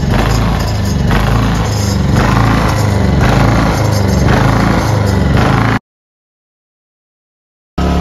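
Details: Ryobi 2300W/1800W portable inverter generator after carburetor cleaning, previously surging at idle: even, low steady hum with no rise and fall in speed, idling smoothly with no surging.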